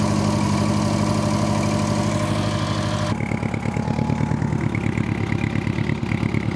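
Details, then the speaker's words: Old Honda Gold Wing motorcycle started by shorting the starter with a screwdriver because of a faulty start switch, while leaking petrol: steady, even multi-cylinder idle with no knocks or misses; the engine runs well, though the carbs likely need cleaning. "Well, that's good then. So, engine still runs good on this one."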